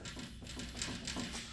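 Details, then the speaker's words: Toyota Tacoma/4Runner front wheel rocked by hand: quick run of dull metallic knocks, about five a second, with huge play at the upper ball joint despite an intact boot. Worn upper ball joint. "You hear that noise coming from here? There's something rattling on the rack or maybe right here, but there is that loud knock."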